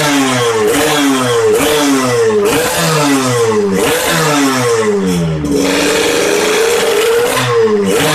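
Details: Kawasaki Ninja R 150 two-stroke after fitting a modified King piston with a dead-skip piston pin. Crisp rev blips rise and fall cleanly about every second, with no rattle or stumble; runs smoother than with the Eriking piston. Normal revving.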